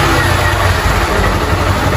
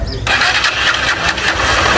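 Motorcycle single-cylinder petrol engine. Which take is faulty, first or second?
second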